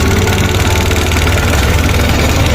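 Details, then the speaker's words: Yamaha R15 V3 motorcycle just started, before being opened up: steady idle with fast light metallic ticking keeping pace with the engine, mechanic calls the sound very bad; valve tappet noise, loose clearance needing adjustment. "কীরকম সাউন্ডের কোয়ালিটিটা দেখেন কী অবস্থা। আমার তো মনে হয় অনেক বাজে অবস্থা, বাট তারপরে খোলার পরে দেখি।"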